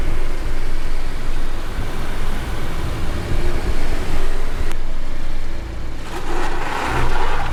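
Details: Car driving after cleaning wheel and brake disc faces with brake cleaner and refitting the wheel, nuts tightened in a star pattern: steady low road rumble, the loud wheel clicking completely gone.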